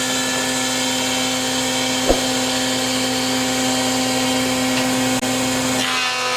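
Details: 53-year-old Powermatic planer with a 2 hp, 220 V, 3450 rpm motor drawing 11.2 A at 230 V, double belt drive: strong, unwavering hum and steady whir, no grinding, then winds down. Normal running.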